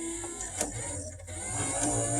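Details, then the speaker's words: 1962 Mercury Comet electric wiper motor on 12 volts, revived with a hammer tap, switched to high speed: quick, even electric whir with light mechanical cycling clatter; motor running properly on high. "i can even put it to high speed on this side so kind of high and low you can hear it you can see it right here"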